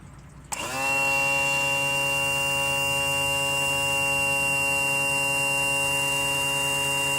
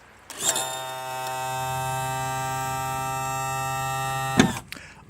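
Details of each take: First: 2000 Johnson 115 outboard power trim/tilt. A steady, strained electric whine holds one pitch for six seconds: the trim motor squeal, the sound you don't want to hear. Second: 2000 Johnson 115 outboard trim/tilt motor running normally: a steady, even electric hum for about four seconds that starts and stops cleanly, with no straining or grinding.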